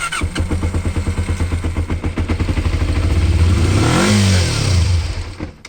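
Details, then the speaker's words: 1988 Kawasaki Ninja 250R, 250cc inline twin, possibly first start in about 14 years, choke partly on: lumpy uneven firing swelling with throttle then fading and dying; starved of fuel, later fixed by cleaning clogged carburettors. "uh it keeps dying it doesn't have the gas"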